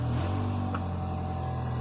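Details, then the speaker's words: Bostig engine after rough idle (compression 155–160, exhaust leak found): steady smooth idle with no stumbles after replacing a PCV hose that had a 3x3 mm chunk missing; sounds much better. "Oh my God. Oh, that sounds so much better."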